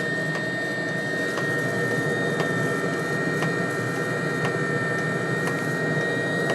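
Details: Webasto diesel heater on a homemade 555-based replacement controller, low setting: steady fan whoosh with sharp pump tick about once a second over a thin uneven burn; flames out, needs slower fan or more fuel.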